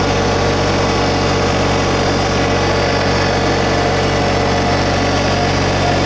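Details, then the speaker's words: 2022 LS MT125 compact diesel tractor, about half an hour on it, idle raised while lifting the loader bucket and mower deck: steady, even diesel drone, no knocks or misses; engine running healthy at raised idle. "We'll lift the inloader bucket up a little bit. Bring the idle speed up a little."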